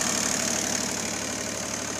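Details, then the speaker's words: Bombardier MPV-20 tractor with a three-cylinder diesel, idling with the hood off: even, steady patter with no misses or knocks. Healthy, normal idle. "I've got the hood off right now, but you can hear it idles really nice."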